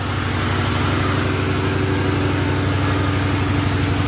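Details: Box Chevy during build, after new rotors: even, steady idle pulse at about four beats a second with no stumbles or misses; the engine is running smoothly.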